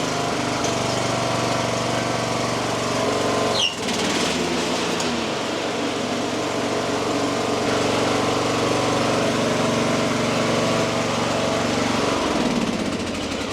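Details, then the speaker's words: Craftsman LT3000 riding mower with a Briggs & Stratton single-cylinder engine, after carburetor work: runs fast with an uneven rapid chatter and a load change; exhaust dripping fuel, owner suspects a stuck float or needle and that the carburetor needs a fuller rebuild. "Oh, we were dripping something somewhere. The exhaust is dripping like crazy. We may need to do a more thorough rebuild on this carburetor."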